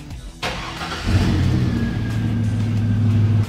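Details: Engine started with a fuel pressure gauge on the pressure line after the pump relay was reinstalled. Brief crank, clean catch, then an even, steady low idle; running fuel pressure reads about 50 psi.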